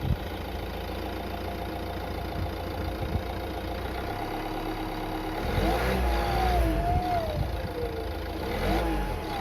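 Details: 2014 Renault Scénic III 1.6 dCi 130 Bose Edition diesel: low uneven churn at idle, then a rising whistle-like tone with revs; owner asks whether hose, turbo or pulley, cause unidentified.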